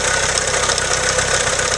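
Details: Steady idle with a fast, even tick-tick keeping pace with the engine; owner suspects a spun bearing, not confirmed.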